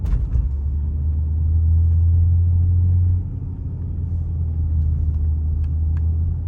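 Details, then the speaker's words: Lincoln MKZ Hybrid on a downhill with Grade Assist on, engine spun without fuel as an air compressor for braking: a deep steady drone easing off partway. Normal engine braking, nothing wrong. "I usually leave Grade Assist on because I live in a hilly area, so it saves a lot of fuel for me, as well as it's easier on the brakes as well. This is what Grade Assist sounds like when it's working."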